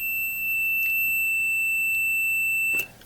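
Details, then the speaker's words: 1991 Williams Terminator 2 pinball board, continuity meter across a filter capacitor reading 0.001 ohms: a steady high beep holds nearly three seconds; shorted capacitor, replaced, after which the 20 V LED came on. "shows a short but let's see what the actual resistance is 0.00.001 ohms can't find a better short than that so i replaced this cap"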